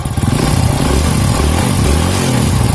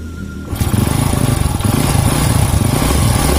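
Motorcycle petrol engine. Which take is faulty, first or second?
second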